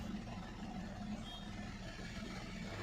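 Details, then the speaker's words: Hyundai Verna Fluidic 2012, 1.6 L petrol, lumpy uneven idle then light acceleration with bad vibration; no fault codes stored, misfire in one cylinder traced to a faulty ignition coil; car lacks pickup and sometimes stalls while driving. "थोड़ा accelerate करके देखते हैं। बुरी तरह vibration कर रही है।"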